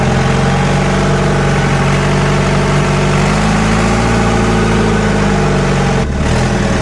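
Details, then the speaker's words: Scrapyard-bound diesel forklift, revived and driving in gear, brakes spongy but working: steady deep diesel drone with even firing while it moves. It runs well and still has power, though it needs some work. "cái ồ chà nó thực sự chạy khá tốt xung quanh khá tốt, nó chắc chắn cần một số TLC để sử dụng nhưng có vẻ như nó vẫn còn điện."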